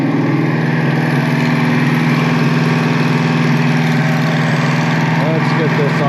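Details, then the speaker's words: Foxbody V8 idling after refitting the intake pipe; steady, even idle with a smooth low rumble, no stumbles, hunting or surging; idling perfect. "thing's like idling perfect. I'm even gonna crank it down just a little bit more. Unreal."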